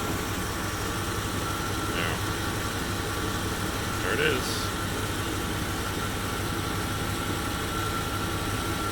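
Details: 1995 Chevy Suburban V8 after exhaust leak repaired: steady, even idle with smooth low rumble, no ticking or puffing, runs perfectly.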